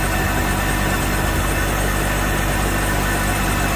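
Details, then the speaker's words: Volvo Penta 6.0 marine engine, first start after head gasket replacement, water on, warming up: steady, even idle with a smooth low rumble, no misses or knocks; no leaks, no alarms, running cleanly. "sounds good i don't see any leaks down here anywhere looks good over here too you got no alarms looks like she's starting to warm up"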